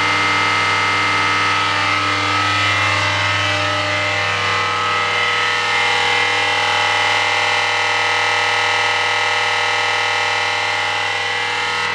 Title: Noisy Spindle